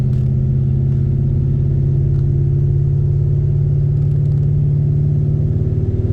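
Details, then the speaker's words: 1972 Pontiac LeMans with a replacement 400 engine drones at a steady, slowly climbing pitch, stuck in second on a pull; the automatic transmission won't upshift to third, and this seems worse as it warms up. "We got no third. We got second. We'll go slow and see what it does. There's second. Should have went into third by now."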